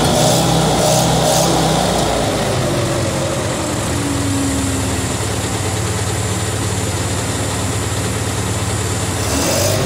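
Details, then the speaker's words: 1950 Towmotor LT40 forklift, Continental flathead four, after choke and carburetor work: steady, low, breathy idle with a soft uneven pulse and little punch; the owner thinks it is wheezy from low compression and probably somewhat worn, but quieter than before. "it's pretty low compression so it's kind of wheezy and it's probably worn out a little bit too"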